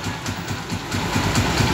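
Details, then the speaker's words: Honda TMX155 single-cylinder motorcycle after final intake and exhaust valve clearance adjustment: steady, even idle putter with no ticking or misses; runs smoothly and well. "Napakaganda ng andar na standard yan oh"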